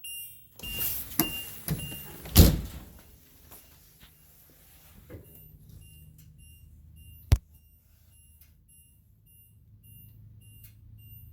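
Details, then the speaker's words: HWH hydraulic leveling jacks retracting at about 35°F, a bit slow in the cold: steady pump hum with only soft clicks, no spring popping or banging after shimming the return springs with plastic cutting board. "hear that put it in quiet more that bing bang bonging it's kind of cold out here it's going up kind of slow i like it"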